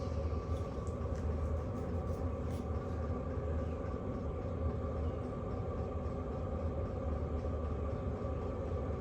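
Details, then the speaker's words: Hcalory Toolbox Heater Version 2 diesel heater inside a tent, just raised from level 1 to level 10, full output; steady smooth blower roar with faint fuel pump ticks as the pump ramps up; normal operation. "So that's full speed. You can hear that fuel pump ramping up a little bit."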